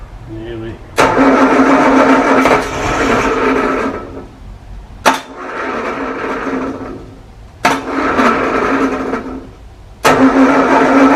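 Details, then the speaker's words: 1937 Morris 8, 918cc pre-war engine being recommissioned, carburettor resealed, battery charged: repeated bursts of steady starter churning, no catch; owner thinks diesel put down the bores oiled up the plugs; cranks but no start. "i think the problem before was because i put diesel down the bores it was oiling the plugs up"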